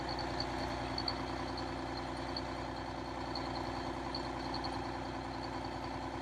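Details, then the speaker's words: Detroit Diesel 6V92 in MC9 bus, cold start in late October (engine around 39–40°F): after more throttle all cylinders light, now a steady, smooth idle with no misses; owner suspects leaking/clogged injectors or stuck rings. "so when I gave it some more fuel eventually it seemed like all the cylinders would light and now it's running normally"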